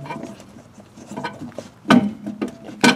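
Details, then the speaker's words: Jeep, noise from the rear: irregular creaking, grinding clunks each time the spare tire carrier is rocked; carrier first thought loose or latch broken, found cracked, broken and bent. "It was making a funny, grindy kind of noise, and that doesn't sound good. Thought, well, maybe the spare tire carrier was loose."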